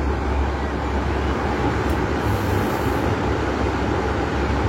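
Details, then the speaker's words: Wall fan at speed 3 after rewiring swing/synchronous motor, fan motor and plug cables, cover closed and bolted, swing rotating: steady even airy rush, constant low hum, no rattles or ticking; healthy, normal high-speed running. "Ya, berputar lagi speed 2. Speed 3. Ya, kencang sobat"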